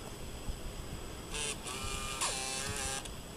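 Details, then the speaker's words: Late-2006 black MacBook, 13-inch, with a 320 GB hard drive; a couple of brief buzzy whirring bursts with a stepping tone every time a button is clicked. The mechanical noise from inside has an unclear cause. "okay it does make that noise every time i click that button too it's the second time it's done that"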